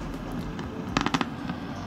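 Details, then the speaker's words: Sunbuck power amplifier, right channel only faulty: rough rumbling bed with sudden clusters of sharp crackling pops, very disturbing during music; fault being isolated between power stage and tone control. "dengan keadaan e suara e bergemuruh dan juga kretek-kerretek eh tentunya eh suara ini sangat mengganggu sekali ya"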